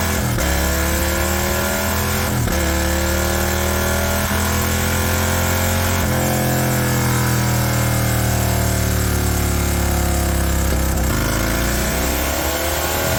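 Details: High-mileage Harley-Davidson M8 V-twin with S&S 129 Power Plus kit, big injectors and kit cam, under load on dyno: deep rumble climbing steadily in pitch through repeated pulls, clean and even, no misses; normal, 136 hp, 154 ft-lb.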